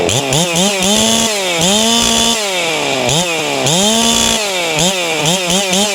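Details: Hypo 660 build chainsaw with ported work, just after adding a third port to the muffler, free-revving with a 25 bar fitted: crisp throttle blips, pitch jumps and drops cleanly with no bogging or sputter; snappy and responsive, no kickback felt, oiling well.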